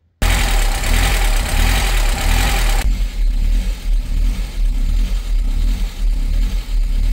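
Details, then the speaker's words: 1998 Mercedes SLK230 R170, M111 Kompressor, in limp mode: idle surges and sags about every second, never settling, and the gas pedal would not rev the engine. Idle hunting was caused by a faulty ECU; a cloned ECU fixed it. "The idle speed was hunting between 1,00 and500 RPM and the gas pedal was not working meaning I could not rev the engine."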